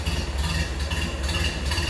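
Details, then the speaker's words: 1931 Ford Model A Roadster, stock four-cylinder, gravity-fed fuel, throttle turned up a tad: low, even chuffing idle with light mechanical clatter, steady; healthy stock Model A. "There you can hear it running. Sound you expect out of a stock Model A."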